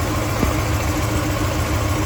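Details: 1986 Ford F150 after transmission refresh, run out of gas: low, lumpy idle with an uneven exhaust beat, a dead miss at idle; owner suspects a large vacuum leak and pulled the intake to check. Cause not confirmed.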